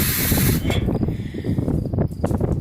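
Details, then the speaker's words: Railcar air brake release pin pulled in Williston, ND yard, valve venting the car's air tank, almost already bled out: short burst of rushing air hiss fading to low rumble as brakes release. "And you pull it, it's connected to a valve that releases air out of that tank."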